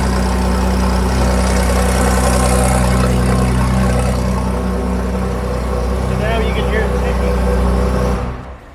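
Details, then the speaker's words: Porsche 964 turbo flat-six with billet heads idling: light steady tick-clatter about three times a second from exhaust leak before the turbo; head contacts top of manifold on one side, other side's runner too short after shrinkage, costing spool, power and air-fuel ratio. "So we're going to repair both these problems. Take a listen. It's got a bit of a clatter."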